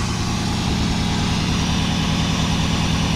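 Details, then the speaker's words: 1989 Pontiac Firebird Formula with tired 350 V8 just fitted with new open headers, air cleaner off, freezing weather, condensation in pipes, smoky at startup then clearing: loud deep steady idle, even lope, no knocks or misses; normal idle. "Well, there you have it. Some condensation in the pipes, but it's freezing out, but runs pretty good. Sounds pretty good."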